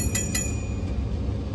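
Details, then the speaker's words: Daikin gas package unit not heating after rollout/limit trip: draft inducer wheel spun by hand gives two bright metallic clinks then low rumble; sounds like the inducer wheel is hitting something. "Oh, listen to that. I went ahead and gave that a spin. Sounds like it's hitting something, huh?"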